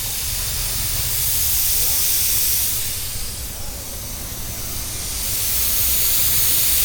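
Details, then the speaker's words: Mitsubishi Pajero on a trip, engine running: steady loud hiss of escaping steam over low engine rumble; small leak at radiator top tank, coolant venting from one side where the top has loosened. "അടുപ്പിച്ച് നല്ല sound വരുമല്ലോ. പുള്ളി എന്തോ പറഞ്ഞ റേഡിയേറ്ററിൻ്റെ top complaint ആണല്ലേ?"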